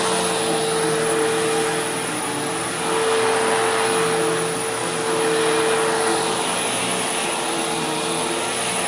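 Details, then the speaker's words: Sharp Twin Energy vacuum cleaner, newly acquired secondhand, running on carpet: a steady ear-piercing whistle at one pitch over rushing airflow. The owner suspects air being pulled past an obstruction; the source is unknown. "Yeah, there is unfortunately a very, very prominent squealing noise, and it's ear piercing. Like, it's really bad."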